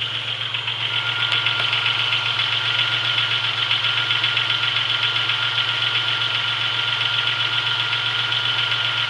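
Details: 1996 Chevrolet Beretta with 3100 V6, cold start after sitting 2 days, days after a main seal replacement with new harmonic balancer and serpentine belt: steady idle with a faint regular light tapping, about four per second. Light knock, less than before; cause unclear.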